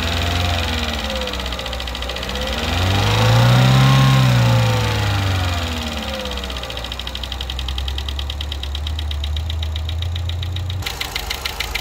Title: 2011 Chevy Cruze LTZ Turbo engine ticking noise on top warranty inspection video clip #karcheckz